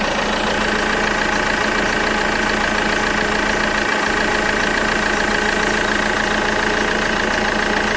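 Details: Alfa Romeo 159 at idle: steady engine hum with a faint, fairly regular tapping about three times a second. Strange noise, cause unclear.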